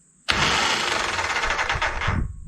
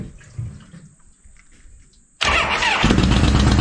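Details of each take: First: 1985 motorcycle project after replacing the ignition coil and fixing a starter solenoid issue, in neutral: a harsh, loud whirring grind with the starter spinning freely, its bendix not engaging the engine, and no start. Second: 1985 motorcycle V-twin after ignition coil and starter solenoid fixes, gas pumped: starter spins briefly, engine catches cleanly, settles into a steady even loping idle; spark plug wires still need replacing.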